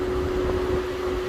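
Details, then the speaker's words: Infiniti Q50 VQ engine at idle: steady whirring hum of the radiator cooling fan running continuously when it should cycle off; suspected stuck fan relay. "That noise is coming from the fan. No, the noise went away, went down. It's the fan. Yes, this fan shouldn't be stuck in the on position. Yeah, this fan's running."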